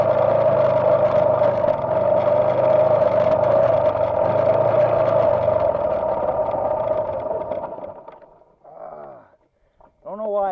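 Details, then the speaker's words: Yamaha TTR dirt bike, camera taped to fender: engine drones steadily about seven seconds, then sags and dies; stalls when hot, owner suspects valves need adjusting. "this thing keeps stalling on me now when it gets hot think I got to adjust the valves on it"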